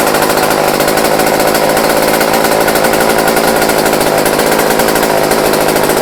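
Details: Old Craftsman chainsaw after years sitting, with new fuel line, rebuilt carburetor kit and new fuel filter, restarted unchoked after running minutes earlier; loud steady high-revving two-stroke buzz, even pitch, no stumbling or misfire; running normally.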